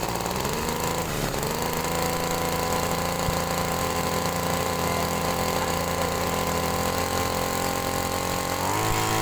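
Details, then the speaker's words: Small two-stroke sprayer engine during carburetor adjustment: a steady buzzing run that sounds laboured and dull, with a brief pitch shift near the end; the mixture is suspected to be set too rich, not confirmed. "Nah ini agak berat ini sepertinya ini terlalu boros ini"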